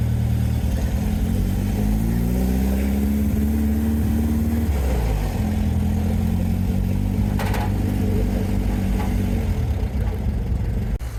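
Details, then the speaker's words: VW sandrail dune buggy, unused for 18 months, after replacing a vacuum hose secured with a Jubilee clip: the engine revs and settles cleanly, firing evenly on all four cylinders. Normal running. "very happy. It is running really well. 4 cylinders now firing, which is fantastic."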